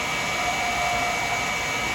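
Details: Woodturning an acrylic pen blank with beads on the lathe: steady cutting hiss with a faint thin ringing note for about a second as the tool chatters at one spot.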